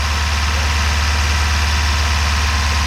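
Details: 1978 Ford Courier mini truck, first start after sitting buried for 29 years in about 25°F cold: low, steady idle drumming with even beat, no knocks or misses; smoking a little, oil pan possibly rusted out. Normal idle.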